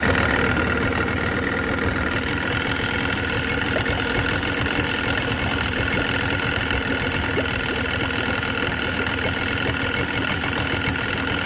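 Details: Tohatsu 18hp two-stroke outboard idling: steady rattly burble with fast irregular knocking; internal engine knock, cause unknown.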